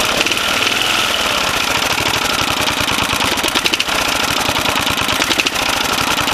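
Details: 1980 Briggs & Stratton 8 HP single in a Snapper runs fast with a hard, rapid metallic knock in time with firing, loudest when revved or accelerating and sometimes at idle; suspected rod knock, actually piston slap.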